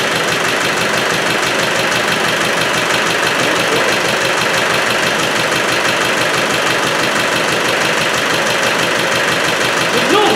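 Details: Rebored Land Rover Defender 110 diesel after engine installation, first start: steady idle with rough chopping beat about three per second; breather pushing oil and smoking, excessive blow-by suspected from broken ring or overbore, unconfirmed.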